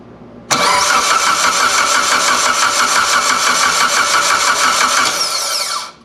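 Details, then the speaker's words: Engine cranked with the fuel pump and coil unplugged after fitting a Tomei oil baffle and a new oil pan: an even starter churn of about three turns a second with no clanks or metallic knocks; turns over cleanly. "I would say success I didn't hear anything I didn't hear any clanking nothing metallic"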